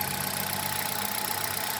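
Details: Hyundai Solaris, 5W40 oil, hot engine at idle: light, quick, even tapping over a bright engine hum; knock present, source not pinned down.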